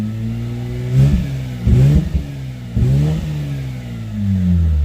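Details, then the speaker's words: Mazda RX-8 with a freshly built bridgeported 13B rotary, still on the standard untuned ECU and mixtures, fans on: slow to start, then blipped three times from an uneven idle with revs hanging then sagging; rough running on untuned ECU. "remember, this is all still standard ECU. Nothing, the mixtures, nothing's been done to it. That's why it's taking a little bit just to start then, but it is starting so much better than it was an hour ago."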